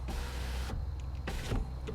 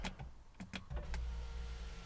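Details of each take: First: BMW E90 new rear window regulator, window switch plugged in and operated from the back: motor hums under a second, stops short, runs briefly again; owner suspects it needs a computer reset. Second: BMW E90 rear power window after rear regulator replacement, during the service initialization procedure: smooth, steady motor hum with a slight rising note as the glass travels, no grinding or clicking; window opens and closes normally.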